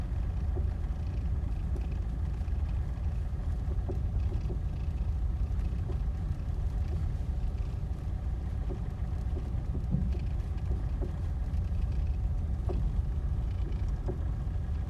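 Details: Deep irregular knocking from the suspension of a 2007 Ford Mondeo Mk4 TDCi while driving, heavy low rumble with knocks from underneath; cause unknown, owner asking what it is.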